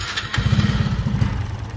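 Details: Honda RSX Fi scooter with severe throttle hesitation and no error code: the engine chugs unevenly and stumbles instead of revving cleanly as the throttle opens, because the failing ignition coil gives an intermittent high-voltage spark.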